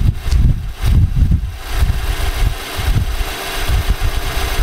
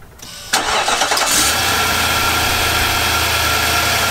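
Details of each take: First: 2018 Nissan Armada, earlier footage before short block replacement: heavy, uneven low clatter over a rough idle, sounding almost like a diesel; internal engine knock, fixed with a new short block. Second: 2018 Nissan Armada 5.6 L V8 after new short block, about 3,000 miles on it; short crank catches at once and settles to smooth, even idle with no knock or tapping; normal.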